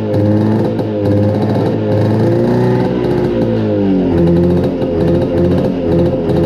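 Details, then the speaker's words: 1972 Arctic Cat Panther 340 two-stroke snowmobile on a start after sitting a long time, with a loose exhaust and a stuck CVT: the idle wavers and hunts and never settles. The owner suspects flooding rather than a lean mixture, given the very slow acceleration. "doesn't like idling. I don't know if it's flooding out or running too lean. I think it's probably flooding out because of our very slow acceleration."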